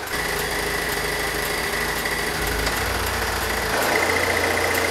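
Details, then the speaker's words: Pontiac Solstice idling: light fairly quick rattle that starts only when defrost or A/C engages and stops when switched off; diagnosed as the A/C compressor. "then the noise starts kind of a rattle rattle rattle rattle doesn't stop until well turn the heater off"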